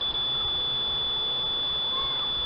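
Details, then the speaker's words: Multimeter continuity test across a circuit-board capacitor: a steady, unbroken high-pitched beep on the ground side and nothing on the other side, showing the capacitor is shorted. "Ahí se escucha el pitido ese es el lado de tierra y al otro lado ya no nos mide nada"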